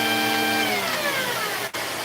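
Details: Vacuum running: the motor hum sags in pitch, cuts out for an instant and returns when the wand is pushed forward, showing an intermittent break in the wand's connection.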